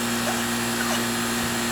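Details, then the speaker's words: R22 Goodman AC condenser, called in for not cooling the house, running: steady, even hum with smooth fan rush, no rattles or cycling. Unit is cooling and not leaking. Normal running. "all right so she's cool and good it's actually it's actually not bad for an r22 unit it's a goodman unit that's not leaking"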